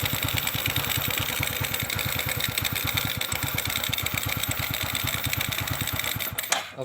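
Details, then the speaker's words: Kawasaki Kaze motorcycle with strong spark at the ignition coil: the single cylinder pops quickly at an uneven beat, running but stumbling. Suspected fuel starvation from an uncleaned carburetor that still needs adjusting. "Nanti, kita hanya perlu menyetel karburator karena mesinnya tersendat-sendat, kemungkinan kekurangan bahan bakar karena belum dibersihkan."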